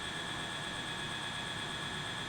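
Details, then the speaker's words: SALTGATOR desktop injection molding machine heating and melting soft material (40A) with the plunger locked; internal fan mixes material to spread heat and color evenly, giving a steady whoosh with a few fixed high whistles, normal fan operation. "While it's heating up and melting the material, there's an internal fan that mixes everything together to evenly distribute the heat and any colors if added."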